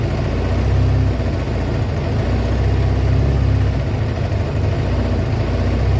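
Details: Kawasaki ZL600 after a project revival, just fitted with a new battery and pod air filters, warming up with smoke off the exhaust: low, loping idle holding a steady beat without stumbles or knocks. Warming up normally.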